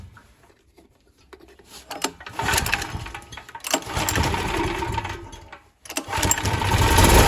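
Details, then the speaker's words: Small single-cylinder generator engine running on methane gas through a reducer, petrol supply shut off: picks up after a few quiet gaps and holds a steady, even run; normal running on gas. "бачите він працює на газу"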